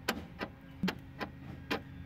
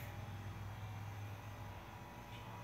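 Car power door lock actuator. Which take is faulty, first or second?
first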